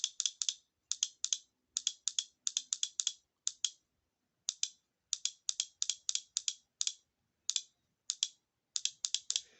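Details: VW 09G automatic transmission solenoid from a car with a jerking problem, bench-tested with a battery: crisp sharp clicks in quick groups of two to four as it snaps in and out cleanly, so the solenoid works normally.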